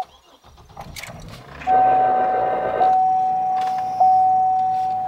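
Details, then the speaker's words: GMC Envoy/Chevy Trailblazer, partly cooled after an hour, starting after throttle body cleaning to fix low idle: brief crank, catches quickly, steady even idle with a faint whine; idle now comes up properly, about 1100 RPM, throttle response great. "but when I started up now I noticed that idle comes right up like it should now and it um doesn't idle anything below 600 RPM when it's warm"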